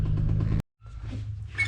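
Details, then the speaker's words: BMW 335is engine at rough idle with a fast, regular deep knock under the rumble from worn rod bearings; crankshaft and rods are considered done and the engine is being pulled. "give him one that's all in one man thanks Guy she's a knocker buddy she's a knocker"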